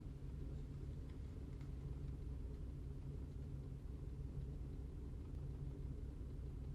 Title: 2005 Cadillac CTS 2.8L ROUGH IDLE MISFIRING